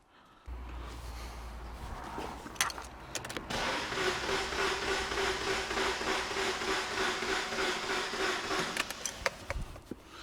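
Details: 2006 Opel/Vauxhall Corsa 1.3 diesel, Z13DT engine, crank no start, cranking with scope current clamp on battery lead: starter spins fast and unusually evenly, no compression rhythm, no firing; broken camshaft.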